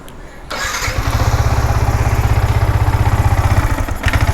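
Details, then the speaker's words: Yamaha R15 V4: catches after a short crank, then lumpy, stumbling idle with missed beats; holds at low speed but cuts out at high rpm; ignition misfire. "ഇതാണ് പ്രശ്നം വണ്ടി ഇങ്ങനെ അറപ്പാണ് മിസ്സിം ആണ്. ഇതാണ് ഇതിന്റെ complaint എന്ന് പറയുന്നത്."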